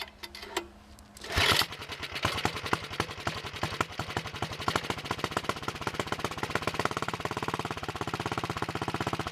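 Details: 1961 Wheel Horse model 401 tractor, cold engine on full choke after setting point gap: a couple of cranking bursts, then it catches into quick, even single-cylinder pops with no misses; runs well, smokes a little on throttle.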